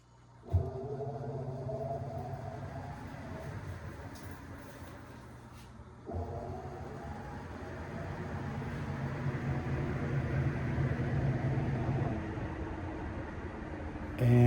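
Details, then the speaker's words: New BLACK+DECKER portable washer on spin: smooth motor hum building steadily as the drum spins up, with no thumping or knocking; normal spin, matching the repaired unit. "it sounds great. It's also interesting having the new washer because it confirms the one that I fixed sounds just like the new one."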